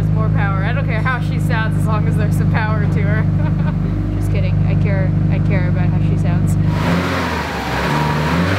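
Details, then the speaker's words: Rebuilt Subaru wagon after turbo swap, untuned, cold start: steady even low hum at idle, no knocks, ticks, rattles or smoke, then a rev blip; sounds healthy, normal cold start and idle. "I think she actually sounds healthier."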